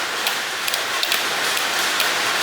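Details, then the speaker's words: 1951 Harley Panhead chopper being rewired, points ignition, key switch to first (ignition) position: crisp sharp ticks about every half second as key is cycled on and off; ignition relay switching properly, normal relay click. "So I will turn my key to the first position, you can hear the relay tick. That's a good sign."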